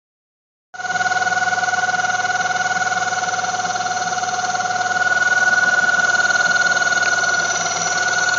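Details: 1995 Mazda Miata at cold idle first thing in the morning: a steady high ringing squeal at constant pitch from the front centre of the engine, gone after about 5 minutes; owner suspects tensioner or water pump, not confirmed.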